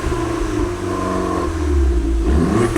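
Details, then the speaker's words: Crashed Fiat Punto Abarth warming up after revival. Engine revs and drops back with sharp exhaust pops as the throttle closes; said to pop like this from the factory, not a defect. Normal exhaust crackle on overrun. "Et ça pète d'origine comme d'origine comme ça. Ça pète. Ah ouais. C'est pas un défaut le fait qu'elle pète comme ça."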